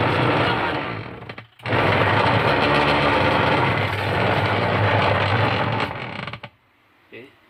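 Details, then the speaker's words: Sharp manual washing machine agitating: loud, coarse grinding rattle that drops away when the drive stops; worn pulsator spline and gearbox, both to be replaced. "Kali ini saya akan membahas tentang mesin cuci SAP yang rusak pulsatornya. Dia bunyinya kasar sekali. Bisa jadi ini kita akan mengganti pulsator dan gearboxnya."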